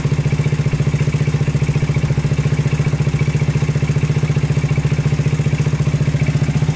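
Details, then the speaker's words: 2000 Honda 400EX quad single cylinder, after it locked up on its first ride and restarted with a new battery: loping idle with deep clattery knock, then shuts off; owner suspects heat seizing the piston. "foreign yep there it goes just shut off right there um so i think something's going on internally"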